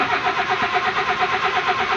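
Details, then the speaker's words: Honda Civic VTEC PH16 engine with no power to a newly replaced distributor, a dim check-engine light and all fuses intact. Starter turns over steadily at about eight even pulses a second but the engine never fires: cranks, no start. "ayaw mandar oh. Ayaw po mandar, puro lang redondo. Yan po sira niya."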